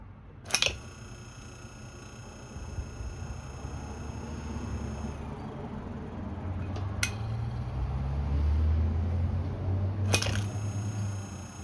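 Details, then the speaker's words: Vintage GE 1/3 HP electric motor, shaft stiff and not spinning freely, on test: thin high squeal over a low hum with irregular knocking inside, like a dry, tight bearing. Cause suspected, not confirmed. "All right. So, I tested it and you could probably hear it. It started to sound a little strange. It got like super squeaky and sound like it was like throwing stuff around inside the inside here."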